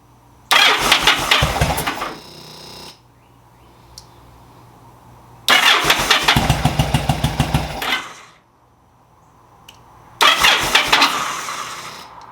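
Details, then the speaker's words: 2000 Yamaha V Star 1100 with a starting problem, after sanding the kill switch connections: three short starts, each catching quickly into a loose, lumpy V-twin beat before shutting off; now starts normally. "there it is folks what do you think all that work for nothing literally all I had to do is replace that killer fix the kill switch"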